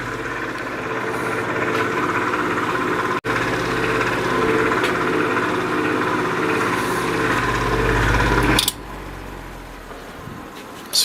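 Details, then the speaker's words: 1950s Patton 18-inch High Velocity fan, 3.2 A GE shaded-pole single-bearing motor, hot and running slow with normal current: steady low hum with strained drone; the bearing is binding from excess end cap pressure, and the owner suspects the oil is too thin. "it is slowing down as we speak it's not drawing any more current than it's supposed to be"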